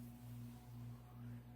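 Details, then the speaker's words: Codep 48-inch cast-iron spinner ceiling fan on speed control at medium: low steady even hum with gentle regular cyclic pulse, no rattle or scrape; normal motor hum (earlier vibration came from canopy). "That's what it normally sounds like, just a regular cyclic hum."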